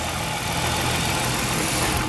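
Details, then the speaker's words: 2006 Chrysler 300 Touring, 3.5 L V6, 71K miles, hood open: smooth steady idle hum with no ticks or misses and a brief clunk at the end; normal idle. "all right cut 3.5 liter v6 Idols nice and smooth very clean"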